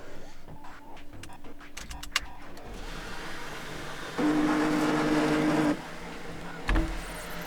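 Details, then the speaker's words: Audi A8/A6 sunroof motor, trim panel removed: opening the sunroof gives a thin, steady electric whirr for about a second and a half with a faint rasp; noisy sunroof motor, replacement the proper fix. "like you will see when i turn when i try to open the sunroof it's just giving that noise"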